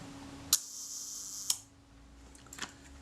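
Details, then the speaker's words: Kodak Retina IIIc Synchro-Compur shutter, after moving the speed train toward centre for more cam engagement: crisp click, steady whirr about one second, clean closing click; slow speed now sounds right. "That sounds more credible. We'll start with that position. That sounds good. That's considerably better than we started off with earlier."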